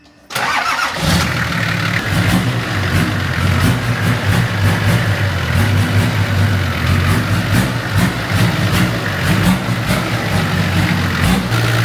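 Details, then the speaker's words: Freshly built Nissan Patrol TD42 diesel with F66 turbo and newly fitted 11 mm 200 hp pump, at dyno tune: catches quickly, steady even diesel clatter with firm throttle blips; sounds much better than before, normal revving. "That sounds so much better. >> Sounds great."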